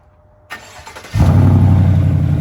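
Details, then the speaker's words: 2020 GMC Sierra V8 start about an hour after replacing the serpentine belt and idler pulley, hood shut: short crank, then a deep steady idle with no belt squeal; the fix worked. "Oh, buddy. No squeaky, squeaky."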